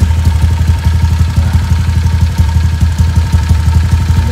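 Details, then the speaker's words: Honda Vario old 4-valve scooter, stroke-up engine, used about 8 months (roughly 3000) since the stroke-up, still cold and needing a little throttle, R9 Alpha header with R9 Mubilu silencer: steady, deep, pulsing idle with no rattles. Normal idle. "Ini masih dingin, jadi dia agak perlu digas dikit. Nah, kalau udah hangat enggak. Nah, jadi so far mesinnya masih oke."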